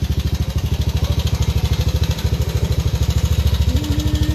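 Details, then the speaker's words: Yamaha Aerox scooter before repair, failed timing chain tensioner (earlier repaired wrongly elsewhere): fast steady engine pulses about two and a half a second with a dry clatter riding on them; timing chain rattle. "Ito yung tunog ng Aerox ni boss bago namin ayusin. So pakinggan niyo muna."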